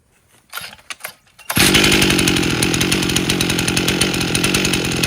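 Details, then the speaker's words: 1998 Stihl 044 Magnum chainsaw, freshly fully rebuilt, first test run with 25-inch bar and oversized clutch; a few pulls then a steady crisp high-speed buzz, slightly fogging on throttle-up, dump tested with no apparent air leaks; runs healthy. "still sounds like it's fog and a little on throttle up but uh not too bad we're dump testing it and it's doing fine no apparent air leaks"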